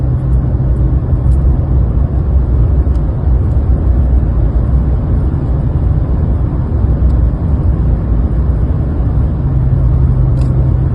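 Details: 2020 Chevy Silverado LT 5.3 after replacing the drive belt tensioner pulley and serpentine belt: steady, deep engine idle with no whine or squeal from the belt drive.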